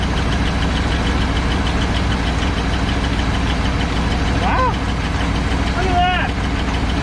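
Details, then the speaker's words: 1983 Chevrolet C10 square body revived after sitting nearly 10 years, fed fuel by hose; smooth, even idle with steady low rumble, no knocking or ticking; engine running healthy. "no knocking no ticking sounds great sounds like a 250"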